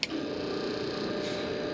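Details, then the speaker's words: Old farm fuel transfer pump, before replacement with Fill-Rite 35 GPM; quiet steady mid-pitched hum with faint tonal drone, no clean motor note, unable to load fuel; abnormal pump running noise. "yeah no good so it doesn't look like we're going to be able to load fuel while we're up in The Silo"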